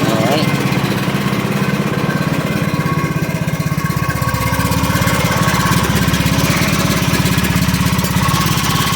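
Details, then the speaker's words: John Deere LA115 riding mower, 19.5 HP Briggs & Stratton, after drive belt and pulley replacement: engine holds a steady, even putter at constant speed with no stumbling or surging; starts and runs fine, "going like crazy." "oh this is going like crazy all right"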